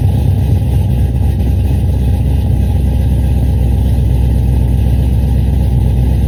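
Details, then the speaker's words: Cadillac CTS-V V8, newly tuned after new heads and cam, at idle: loud, heavy, uneven lumpy beat with stumbles; a bad misfire. "he said that he felt like it had a misfire when you get down on it. So, I'm going to drive it and check for the misfire."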